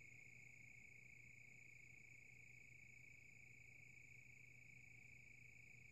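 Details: Silverstone SX-600 power supply (V1.0) fan slowing down, giving a quiet low hum under steady high whistling tones with a fine chirping rattle; this stage lasts a long time.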